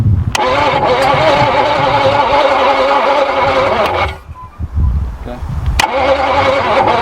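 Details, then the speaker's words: Barn-find Jaguar/Daimler Mk2 hemi-style 2.5 litre V8, previously seized, first start attempts: uneven cranking with stumbling bursts, never idles; firing order out, plug leads possibly marked wrong, being swapped without a manual. "Righto, so it's not something we've played with before. We might have to check the firing order. He said the leads were marked, but we're not positive."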